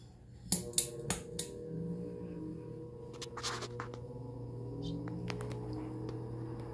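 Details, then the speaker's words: Diehl G12AJ16 12-inch two-speed desk fan, push-knob speeds, starts on low: switch clicks then low steady motor hum; normal startup, runs good, though the oscillator stops working after a couple minutes. "I love that noise that startup sound of it"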